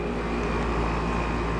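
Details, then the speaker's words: 1995 Tempstar air conditioner with Universal fan motor and Copeland reciprocating compressor, first spring startup before cleaning: steady, even low hum from compressor and fan with no knocking, rattling or squeal; fires up with no problem and runs fine. "Yep, she fires up. Fires up with no problem."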